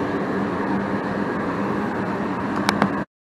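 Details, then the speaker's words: 80% single-stage Goodman natural-gas furnace in a shop, low gas valve outlet pressure fault: the blower motor kicks on with an even, steady rush of air and light clicks, sounding normal after a full heating sequence. "my blower motor just kicked on just a second ago so we've pretty much gone through the whole the whole sequence"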